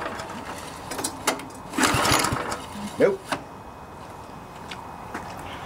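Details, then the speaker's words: MTD Yard Machines front-tine tiller, 139cc OHV engine, won't start (likely after storage): two recoil pulls whir and rattle with no firing; suspected gummed carburetor needing fuel system cleaning and new spark plug. "I'm assuming we have something wrong with the carburetor more than likely it just needs the fuel system cleaned out carburetor cleaned out new spark plug that sort of thing"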